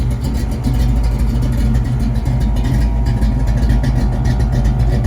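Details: 1979 Mustang Pace Car with a cam, after a long drive: heavy, deep rumble with a choppy, loping beat and no ticks or knocks; healthy V8 idling on a big cam.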